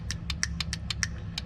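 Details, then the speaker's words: 1967 Chevelle, engine off, Holley Sniper ignition box and coil tested by grounding trigger wire; sharp evenly spaced snaps about six a second over low hum; healthy spark, fault suspected inside distributor back-feeding pickup wires. "so the ignition box and the coil is doing what it's supposed to"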